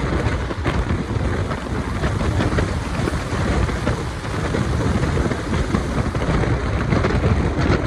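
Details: KA Jaka Tingkir new-generation retrofitted economy coach on the Jogja route, rear seats: loud continuous rumble, rushing roar and rail clatter throughout the ride; much noisier than other trains, cause undetermined.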